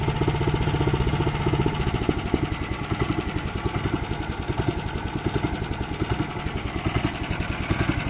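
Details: Weima single-cylinder engine, barely made it home, idle revs rising and sagging about every second; carburetor suspected, possibly the speed governor; later a cracked fuel line found, fuel drained, carburetor to be removed and flushed.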